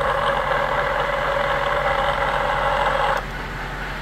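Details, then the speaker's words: Honda Element manual transmission in fifth, slight throttle: steady high-pitched whine over drivetrain hum, only in fifth (earlier around 30 mph, 1100 rpm); internal damage, needs repair or a used gearbox. "quinta no estoy acelerando un poco y se escucha feo feo esa transmisión"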